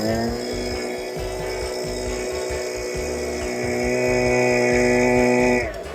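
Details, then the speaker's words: STIHL BG86 hand blower that wouldn't rev up, after decarbonizing and before carb adjustment: high clean two-stroke buzz holds steady, climbs smoothly with throttle and drops back; revs freely, sounding much better. "You can hear it. I can feel it. That's already sounding a ton better."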